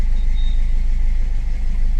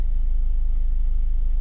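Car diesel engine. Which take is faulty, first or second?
first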